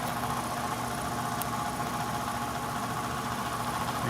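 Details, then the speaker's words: ICP/Heil heat pump matching air handler: constant drone with a rough, uneven growl; blower motor worn out and needs replacing. "i can tell by the sound we don't need to look any further or read anything else this one's going to have to have a motor or a replacement one of the two"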